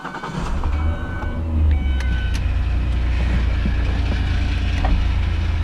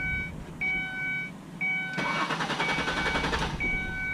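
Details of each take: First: 2003 Ford Escape after a fuel pump replacement. The engine cranks briefly, catches within half a second and settles into a steady, even low idle; clean start with good fuel delivery. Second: 2003 Ford Escape with starting issues: warning chimes, then about a second and a half of steady, rapid starter cranking that never catches. Diagnosis led to fuel pump replacement.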